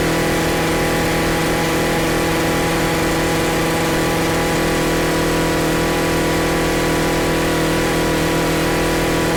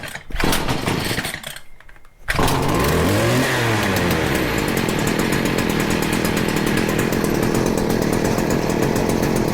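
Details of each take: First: Stihl FS40C trimmer after its carburetor adjusting screw was reset to one turn out: steady, even two-stroke buzz at constant speed, with no surging, misses or stumbling, holding revs smoothly. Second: Stihl FS40C trimmer that wouldn't run, after the carburettor mixture screw was set about one turn out. Quiet pulls, then the small two-stroke catches, revs up and down, and settles into a steady high buzz.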